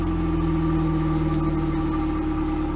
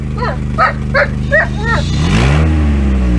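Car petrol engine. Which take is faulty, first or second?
second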